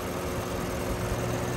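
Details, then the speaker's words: 2007 Lexus at idle with its A/C recharged with 460 g of R134a, one condenser fan disconnected in low ambient temperature. The high-pressure switch forces the remaining fan to high speed, holding about 180 psi. A steady, smooth fan whir is heard. "the high pressure switch just took over through through another signal to put on the Boost high high pressure high speed so now it's into high speed and it's holding and maintaining"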